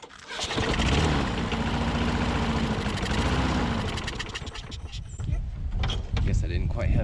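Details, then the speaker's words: Older Troy Bilt push mower, freshly primed, possibly flooded, carburetor main jet not pulling fuel: catches, runs a few seconds, sags and dies; throttle held shut by misrouted governor spring, causing stall after starting. "i don't know why it's not pulling up the main jet though all right well i was getting ready to take this off but i wanted to look at one thing because i thought maybe there was something going on with the throttle and uh there was"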